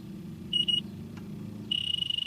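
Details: Trane package air conditioner at static pressure, plastic caps previously fitted: leak detector's shrill high beep sounds, stops, then holds a steady alarm at the valve core. Refrigerant leaking there.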